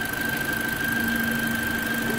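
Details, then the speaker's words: Toyota Corolla first start after engine replacement: steady, even idle with smooth pulse and faint constant whine, no knocks; engine running very well; normal idle. "como previsto né motor está funcionando muito bem mas nada muito bem mesmo olha aqui beleza"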